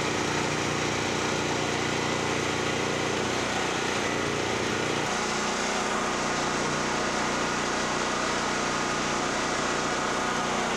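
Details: Generac GP5500 generator single-cylinder engine, formerly a no-start (brake-clean straw in the carburetor), loaded with a 1,500 W heater plus 1,270 W heat gun, checked on a kilowatt meter: speed dips briefly under load, then settles to a steady governed run. Normal running.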